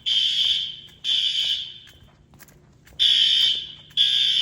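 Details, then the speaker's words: Fire Lite ES-200X fire alarm system test (replaced a 6808): shrill high horn blasts about half a second each in groups with pauses, the horn heard over a SpectrAlert that is barely audible; alarm horns working normally. "Yeah, that advance, you hear that advance over the spec alert, you can hardly hear the specky."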